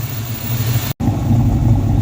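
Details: 1994 Mustang GT convertible V8, newly starting and idling, holds a fast, busy, slightly uneven idle around 1,800 rpm even with timing set at 10°. Vacuum leak suspected but not found.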